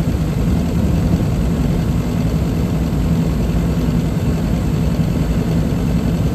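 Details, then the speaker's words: Trane rooftop unit first heat run of the season after gas valve replacement; draft inducer sounds rough and took a minute to start, gas pressure slightly high before adjusting to 3.5; deep, even roar, no knocks or surging: normal gas heat operation. "All right, she's coming on now. That draft inducer kind of sounds like hell. Took it a minute to start up. Came right on. A little bit high on the gas pressure."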